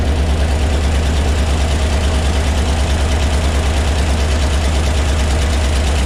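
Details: 1975 Ford F750 pipeline truck V8 just after getting it to fire, fuel treatment added: low, lumpy idle with an uneven beat near three pulses a second, barely holding on; rough idle, cause not confirmed.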